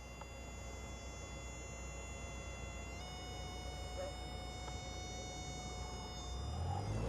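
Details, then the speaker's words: Stall warning horn, a steady reedy tone over engine drone, sounds during a student pilot's practice stall in a light general aviation airplane after clearing turns; recovery follows with forward elevator and full power. "The area is clear, so now he's setting up the stall. You can hear the stall warning horn."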